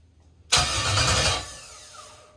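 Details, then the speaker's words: LS-swapped BMW E46 with a custom switch panel, starter switched on with no ignition: a brief, even crank that winds down smoothly with no grinding or catching. Normal starter cranking. "So I'm gonna do the starter with no ignition, so we'll just hear it turn over."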